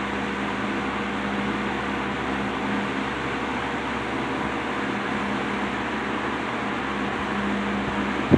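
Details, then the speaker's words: Wizard window box fan on high speed after motor rebuild with bearing caps transplanted from a Lakewood X 22, warming up after long disuse: steady even hum and airy rush, no vibration, rattle or chattering; runs smooth. "Perfect. Runs as smooth as a baby's butt. There's no vibration. There's no noise. No chattering."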